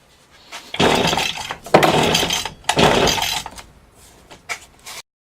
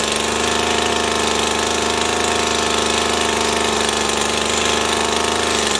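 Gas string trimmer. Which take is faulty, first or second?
first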